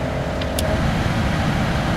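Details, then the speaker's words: Smart Fortwo HVAC blower fan motor running after a brush replacement: a steady rushing drone with a faint constant tone. It sounds noisy and may just need to wear in; the cause is not confirmed. "I'll even start it up and noisy may need to just wear in a little bit"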